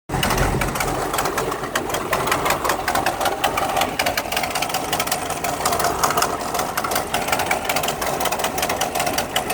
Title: Exhaust leak 1